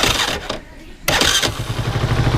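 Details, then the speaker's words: 50cc motorcycle electric start after repairing starter-motor noise, key on in neutral; a short clean starter spin catches quickly into a steady low idle, with no grinding or dry clack from the starter drive. Normal electric start. "botão de start eu tô funcionando perfeitamente"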